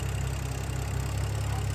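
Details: BMW F10 after a no-code rough idle that owner suspects came from pollen in the cold air intake, now cleaned: steady, even low idle with no misses, knocks or stumbles; idling smoothly.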